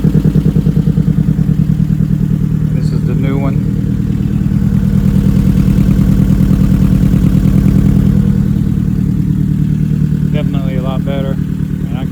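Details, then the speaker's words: Karmann Ghia with Acura TSX K-swap, secondary O2 sensor code, exhaust being replaced: deep, loud, throbbing idle with a heavy low rumble; exhaust far too loud and needs quieting. "So big difference, but gotta change it. It's just too loud."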